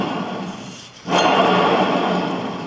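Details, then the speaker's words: Hustler/Big Dog zero-turn mower deck, belt removed, pulley spun by hand: harsh gritty grinding and scraping, stiff to turn; worn spindle bearings (6305) need replacement. "The grinding or rumbling noise when you spin the spindle bearing is actually one of the more common symptoms."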